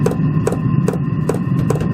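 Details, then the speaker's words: Diesel air heater on a bench test before installing it in a camper van as backup to a Truma 6 gas heater: sharp, even ticks about two and a half per second over a low hum. Dosing pump metering diesel normally; the noise is permanent but fairly quiet. "Il y a une pompe qui pompe le gasoil. Alors ça c'est un bruit qui est malheureusement permanent, mais il reste assez discret quand même,"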